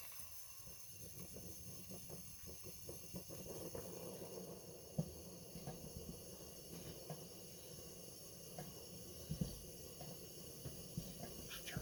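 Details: Coleman 228E lantern, reassembled after a halo-problem teardown, with new mantles and the generator warmed; the lit burner gives a soft, steady hiss with no sputtering or flare-ups and only faint clicks, so the problem is fixed.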